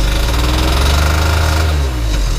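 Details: Banbit Bug 50cc two-stroke moped after repair, with the oil pump confirmed working and dripping oil: loud, fast, even buzz holding steady without misses or stumbles. The engine is running healthy.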